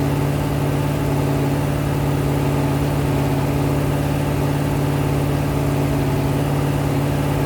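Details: Rebuilt 426 Hemi crate V8 (new heads, intake, pistons) on a run stand during flat-tappet cam break-in, about 15 minutes in at roughly 210°, 50 psi oil pressure: steady, even high-idle drone with firm low hum, no knocks or ticks; healthy.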